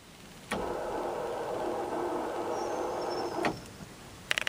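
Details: 1966 Ford Thunderbird under refurbishment, battery just reconnected, key on: a steady electric whirring hum about three seconds, starting and stopping abruptly as the turn signal is switched; source unknown, dash lights, clock, fan and radio not working.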